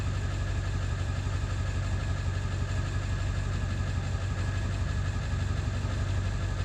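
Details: 7.3 diesel at idle after ICP sensor replacement, still running poorly: a lumpy, uneven beat of roughly three pulses a second instead of a smooth clatter; rough idle, cause not yet found.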